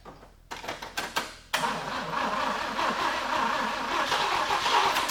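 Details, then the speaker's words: 1950 Willys Jeepster with a Chevy 194 inline six and a Rochester B carburetor, battery almost dead: a few sluggish cranking bursts, then a steady churn that never catches. No spark; ignition points shorted to ground. "I put my timing light on number 1, as you are you know, a guy wants to do, and while I was cranking it, because I just wasn't getting anywhere, I would get a stumble and a little bit of fire every now and then."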